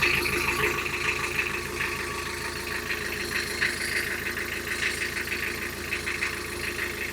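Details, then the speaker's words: Isuzu Marine IM4LC38 narrowboat diesel at about 3997 hours, idling after an oil and filter change with good oil pressure. Even light regular clatter, no knock or hunting. Normal idle. "And then what I'll do is I'll make sure there's no leaks around the oil filter and we'll check it in a minute."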